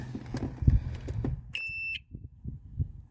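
After some handling clatter, one clear high-pitched beep lasts about half a second: the gauge powers up normally on the ignition feed.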